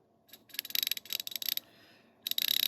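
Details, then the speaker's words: New ratchet: crisp, quick, evenly spaced clicks in short runs on the back swing with awesome back drag; pawl works cleanly, healthy ratchet. "the back drag on it is awesome it's nice and crisp it's nice"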